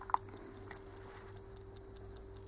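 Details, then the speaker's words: Common-rail diesel injector pulsed on a cheap homemade tester in a quiet room: faint, sharp, even ticks about five a second from the injector solenoid working; owner thinks the injector may be badly assembled, not confirmed. "myślę że słychać prawda wyraźnie słychać rzece wycieczka elektromagnesu która jest w tym wtrysku on jest chyba źle złożony w każdym bądź razie to jest jego praca"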